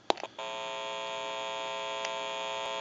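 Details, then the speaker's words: AE candlestick rotary dial telephone on the bench: a couple of button clicks, then a steady even electrical hum from the open test amplifier picking up static. The hum is normal amplifier pickup, not a telephone fault. "since it's an open amplifier it is prone to any static interference or noise in the atmosphere and I'm going to go ahead and press the button and you're probably going to hear achill hum"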